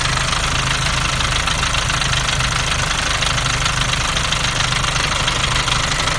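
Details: Nissan Navara D40 2.5 dCi diesel at idle: busy uneven rattle over the engine clatter, easily mistaken for dual-mass flywheel rattle; actually a cracked intake manifold.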